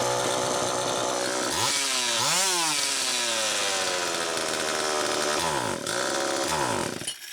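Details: Homelite Super EZ chainsaw on test run, suspected air leak (carburetor or crank seal): screams high and surges instead of idling down despite screws backed out, then cuts out; clearly leaning out, cause unconfirmed. Should idle about 2500–2800 rpm.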